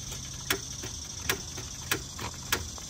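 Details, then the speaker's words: 2012 Hyundai Veloster at auction, jump box hooked up; sharp single clicks about every two-thirds second, no cranking or firing, starter just clicks, no start. "just clicking on this one on the Hyundai"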